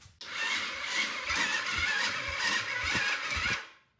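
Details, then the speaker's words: $50 Chinese quad, 12.7 V battery on charger, starting fluid sprayed in, carb soaking: slow labored cranking with heavy uneven beats about two a second, engine doesn't catch; starter motor suspected dying. "i think that motor is dying the starter motor is just dying"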